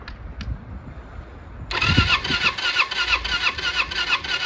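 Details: Starter on a 1995 Kawasaki Eliminator EL 250, off the road for years with low miles, whirs with a steady chug about three times a second but never fires; spark plug sparking poorly, owner suspects plugs.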